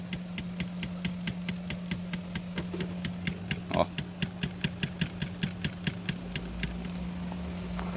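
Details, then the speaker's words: Chevrolet TrailBlazer (S10-type) steering column: sharp evenly spaced clicks about three a second over steady idle hum, a dry odd noise from the lower column; worn column bushing. "vamos fazer o reparo da coluna de direção está com esse barulho aqui ó"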